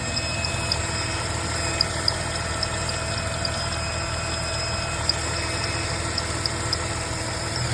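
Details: 2004 Jeep WJ 4.0 at steady idle with a thin, high whine and faint light chirps; the noise is described as occasional squeaking, source not identified.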